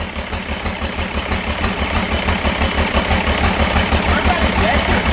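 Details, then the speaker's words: Freshly reassembled Cummins diesel in a C40 project truck, after a valve adjustment: lumpy, uneven idle with stumbles and misses; cracking an injector line briefly smoothed it before the miss returned; cause not yet found. "It's weird how he cracked it and tightened it up and it quit. Hell, it was running smooth. Yeah. And then it just went back to missing again."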